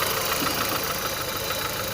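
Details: Engine with dull knock owner describes as a large object striking, plus fast light ticking at idle tied to engine speed, recorded where heard; alternator bearings whine and exhaust leak noted; owner suspects camshaft bearings, source unconfirmed.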